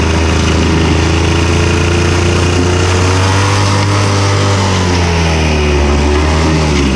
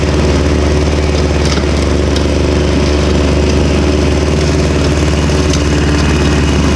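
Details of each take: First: Victa Super 24/Super 600 70-series two-stroke mower, carb cleaned, on 500 ml fresh fuel while mowing: the steady drone wavers and sags in pitch as the tank runs dry, and the engine stalls from fuel starvation. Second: Victa Super 24 / Super 600 70-series two-stroke mower, first mowing after about 8 years unused, carburettor split and cleaned, new fuel, started cold; strong, steady two-stroke buzz at even speed with no misses, surging or rattles, running cleanly.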